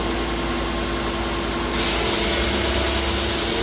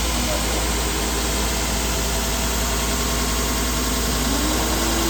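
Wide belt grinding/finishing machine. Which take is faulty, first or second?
first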